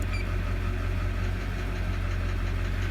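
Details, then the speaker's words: 2001 Chevrolet Duramax 6.6L diesel at warm idle: light, fairly quick tap riding over the low rumble, disappearing when injector number 6 is disabled and returning when enabled; confirmed faulty number 6 injector. "And again, this is to confirm the tapping coming from injector number 6."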